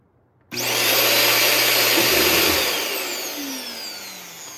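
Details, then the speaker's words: Sanitaire upright vacuum being repaired, switched on for a test: motor spins up fast to a steady high whir and holds evenly, no grinding or rattle; normal motor run. "Okay. Okay, this is not bad. This is working."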